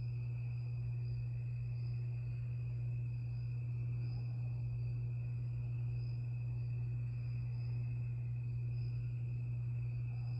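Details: 52-inch Harbor Breeze Lakeside II ceiling fan in polished brass, before restoration: the bad capacitor, cracked and slightly melted, keeps it on low on all three speeds. Low steady electrical hum with no speed change; capacitor to be replaced.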